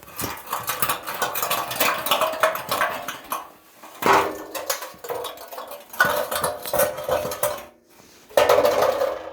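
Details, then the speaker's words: Removed catalytic converter from a 1993 Ford F250 that had severe power loss; shaken, it gives loose irregular clattering as broken melted substrate tumbles inside; cat was completely plugged, choking the engine. "doesn't sound too good um basically this thing was completely plugged up um it's loose in there there's parts flying it you know there's pieces of that crap in there just everywhere"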